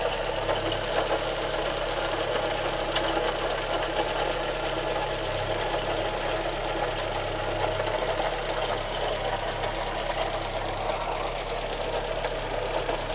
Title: Golf 1 Cabrio Motorgeräusche, MKB: JH, BJ: 88